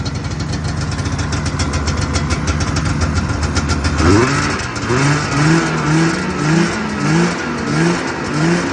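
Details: 1978 Arctic Cat El Tigre two-stroke snowmobile after a new carb needle and pilot jets, carb semi-dialed-in and wiring semi-sorted: it holds a steady buzzing idle, then takes several clean throttle blips. Running much better.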